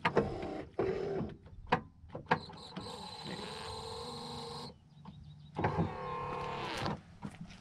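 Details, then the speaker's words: 1964 Cadillac Fleetwood, one of its eight power windows run from the driver's door switch panel (wiring recently rebuilt after cut wires): two steady motor whirs of a few seconds each, clean start and stop, even speed; windows working normally. "That being said, this car also has 8 power windows. And you can see them all from Captain's Kirk Control Center right here."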